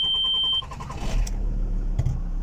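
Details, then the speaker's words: Diesel with owner-installed used injection-pump drive belt, knocking and injector fault, after pump timing reset (injection load 15%): brief cranking, catches within a second, steady even idle with slight characteristic growl; clean start after fix. "Двигатель работает вот так с харатерным ему рычанием с небольшим."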